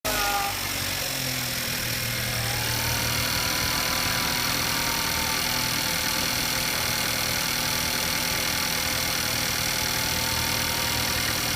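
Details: Skoda Kodiaq engine knock: steady idle with a faint regular ticking knock over the engine hum, about four per second; cause unclear.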